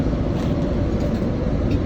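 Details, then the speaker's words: Cold start of a Chevy 454 big-block at about -28°C (feels mid -30s), battery charged and plugged in 1.5 hours: deep, steady, even rumble with no knocks or stumbles, a normal fast idle; small exhaust leak suspected. "So, but yeah, I mean, we're we're fast idling as we should be."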